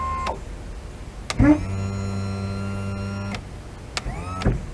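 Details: 70hp Johnson outboard power tilt and trim: steady, low electric motor hum for about two seconds between relay clicks, soft and strained, with damaged relays and wiring; trim motor may be underpowered.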